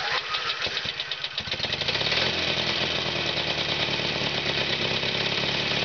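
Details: FrankenBriggs two-cylinder built in 30 minutes from a three-cylinder, even fire, front cylinder disconnected, muffler removed, chain-drive distributor firing cylinders 180° apart. A few cranking pulses, then a fast, even putter with no misses or knocks: normal running.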